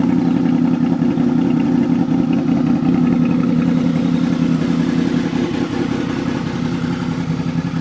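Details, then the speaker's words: 2003 Honda VFR800 Interceptor V4 motorcycle, cold start with no warm-up, exhaust pipes audible; steady even low throb at idle with no knocks or rattles; healthy. "all right I hope that that was a cold start no warm up he the engine and again you can hear the pipes"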